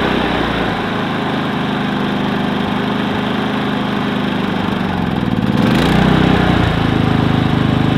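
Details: Predator 3500 inverter generator, 18 hours run time, with spark arrestor removed (owner suspected clogged arrestor caused stumbling): steady, even engine hum with a smooth speed shift partway through, no stumble; running normally.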